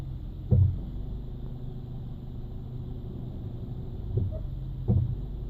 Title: Hyundai ix35 Brake Noise